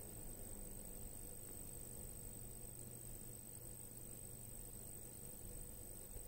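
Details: Corsair HX850 power supply: a thin steady high whistle over a low hum, holding its pitch, louder under load; high-frequency squeal of unknown cause.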